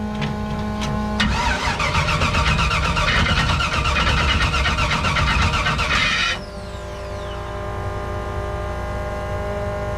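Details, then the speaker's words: Figure 8 derby car with new starter fitted: harsh metallic grinding for several seconds of cranking before it starts; starter gear chewing a damaged flex plate, which needs replacing. "that flex play has to go let's see if we can get it to start though"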